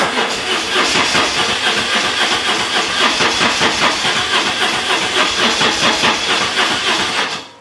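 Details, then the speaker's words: BMW R1150 GS project bike with no service history, also draining its battery: fast, even cranking chatter with a hissy whirr, no firing; intermittent cranking, hard to start, owner suspects the Hall effect sensor. "as you can see it's a bit of a nightmare to fire up so I think that might be the hall position sensor or the hall sensor or whatever it's called"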